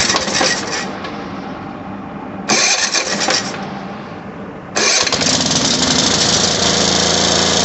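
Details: Small mower engine with a Tecumseh carburetor, just replaced with a new one after the old carb went bad; gas line reconnected. A few pulls sputter, then it catches at about five seconds and settles into a steady, even run; healthy start after the repair.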